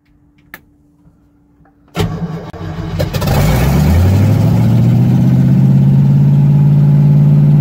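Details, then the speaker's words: Solid-mounted engine with HEI ignition, first start from inside the car after toggle switches and throttle installed: catches at two seconds and settles into a fast, heavy, steady idle with strong low shake through the whole car. "Shakes the whole fucking car. Gotta love solid mounts."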